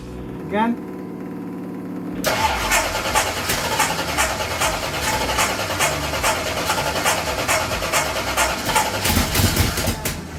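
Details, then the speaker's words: Ford Pinto drag car with rebuilt Holley carburettor, new plugs and headers; engine fires then surges unevenly and won't idle; cause found: carb spacer plate holes misaligned, blocking the idle circuit. "and that hole here is for the idle circuit so that's why I couldn't get it to idle"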